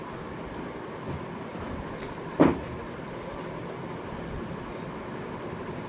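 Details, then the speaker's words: Ceiling fan motor after the loose coil was tightened: running and starting coils test the same, and it runs with a soft, even hum, no rubbing or rattling. Normal quiet run, the noise repaired. "দেখতে পাচ্ছেন কোন শব্দ কিন্তু একদম নিখুত"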